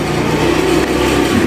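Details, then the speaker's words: Yamaha Mio carburetor scooter, after needle jet replacement: idle now normal, half throttle with no stumble or misfire, more responsive; even, steady engine note. "bisa kita dengarkan ya bagian langsamnya sudah normal gasnya juga ditarik setengah juga dia nggak brebet ya terus dia lebih responsif ya"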